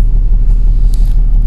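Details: Toyota Land Cruiser diesel complained of shaking, idle rpm dropping to about 300–400 instead of the normal 800–1,000: deep, slow, uneven idle rumble with vibration felt at the door. Misfire and rough idle.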